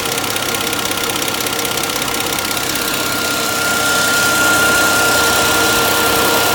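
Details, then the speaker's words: Volvo V70 six-cylinder warming up after its coolant was refilled following a leak and overheating: a steady, even idle with a regular beat and a faint constant whistle, much smoother with little vibration, running normally. "obviously it seems a lot smoother now not so much vibration now she seems okay"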